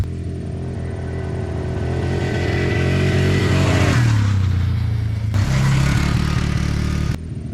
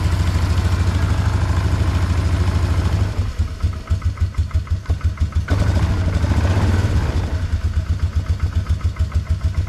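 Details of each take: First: 2004 Polaris Trail Boss 330 ATV on a ride test after transmission repair: revs climb then stumble and cut out twice under throttle; rev limiting from a completely dead battery the charging system couldn't keep up with, ran fine with a jumper pack. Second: 2004 Polaris Trail Boss 330 ATV, first start after draining water from the fuel system and carburetor float bowl, on a mediocre battery with charger: single-cylinder thump about three beats a second, lumpy at first then holding idle; runs acceptably, carb may need work.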